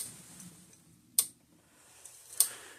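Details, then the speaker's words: Southern States Statesman fence energizer, February 2001 unit, serviced in 2014 with transformer likely replaced, gauge not working but 10,000 V output: crisp, even clicks about every 1.2 seconds; normal pulse ticking. "Okay, the gauge is not working, but it sounds healthy. It sounds It sounds good"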